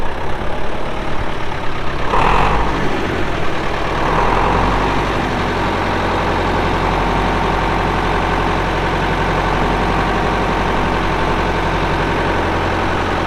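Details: 1975 Case David Brown 1212 tractor, 71HP engine, 4,353 hours: the diesel cranks, catches and settles into a steady, even low idle clatter with no knocks or misses. The engine sounds good. Normal idle.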